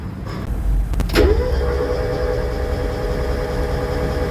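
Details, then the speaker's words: Mazda Miata MX5 NA, towed in as a non-runner. Cranked with the spark plugs out to check for spark: a clunk, then a fast, even starter whir with no compression pulses and no firing; crank no start, ignition coils suspected after no spark seen. "Now, it's obviously the ignition coils because there's no spark, right?"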